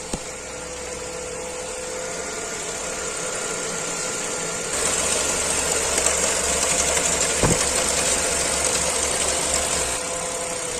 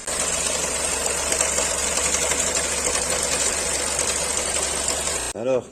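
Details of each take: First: Renault Clio 4 1.2 TCe petrol engine idling smoothly and evenly after repair of a timing-chain clatter with power loss and doubled fuel consumption; slightly warmed, fresh clear oil, no clatter, power restored. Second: Renault Clio 4 1.2 TCe idling with clatter under the hood, plus power loss and doubled fuel consumption: fast dense metallic rattle from slack timing chain slapping guides.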